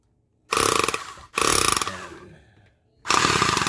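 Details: Chipping gun run after replacing the connecting rod and piston ring or O-ring and heavy greasing: three bursts of rapid, even, hard blows with clean starts and stops. The hammer is working properly again.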